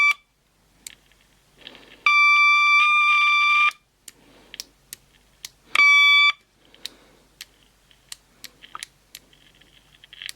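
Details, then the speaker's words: SatLink WS6906 satellite finder power switch tested with continuity tester: steady tone sounds only in broken bursts as switch clicks, showing dirty intermittent contacts, causing the unit's no-power fault. "when I connect this across to switch and I flick it I don't know if you can hear that clicking noise I'll turn the power off but if you can hear that Hing that means that the contacts are dirty"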